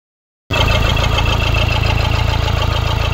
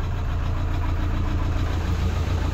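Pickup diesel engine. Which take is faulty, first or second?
second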